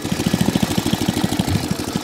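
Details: Small cylinder-mower engine after a quick fix to a leaking carburetor thumps along at a quick steady beat with only a very slight hunt; typical for this carb type, so it is normal running.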